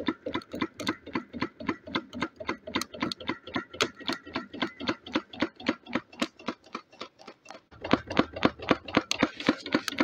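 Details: Wood-fired DIY Stirling engine generator Mk4 on a rocket stove, running very slowly after three quarters of an hour as the fire runs out: sharp regular clonks about four a second, in time with the engine, from one side, caused by a bolt left loose.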